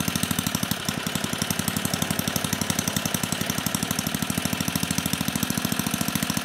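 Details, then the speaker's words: 34-year-old Tecumseh H30-35387Y on a Troy-Bilt Tuffy tiller 12060, previously no compression, running on a clone carburetor being adjusted toward idle: fast even single-cylinder popping holding speed with slight wavering; runs cleanly. "even if this one works it's going to need to be tuned a little bit so we'll make the needed adjustments to get it at least close try to get it idling"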